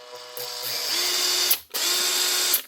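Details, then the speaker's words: Makita BHP452 cordless drill from 2011, after repair with new motor, armature, brush holder and brushes: two short runs with a steady high whine from the switch; the earlier clicking from the back is gone; healthy. "The sounds, you can still hear that high pitched whine, but that's the switch. The sort of clicking from the back of here, you can't hear that anymore now."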